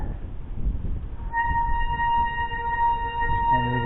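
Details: Mountain bike disc brake with an oil-contaminated rotor: a loud steady squeal near 900 Hz when applied, before reconditioning the rotor with Ajax paste.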